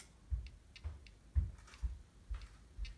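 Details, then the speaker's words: Commodore Amiga 500 with a Gotek floppy emulator, 1 MB RAM: soft low ticks about two a second in a quiet room as the Gotek loads a disk normally; machine boots, Gotek reads. "So I just installed another one, and the Gotek is loading, as you can hear."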